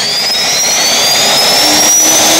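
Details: Tiernay turbine run after two years sitting, following high-pressure fuel line repair: loud high whistle climbing steadily in pitch as it spools up, smooth rushing roar, no rubbing or surging; normal run-up.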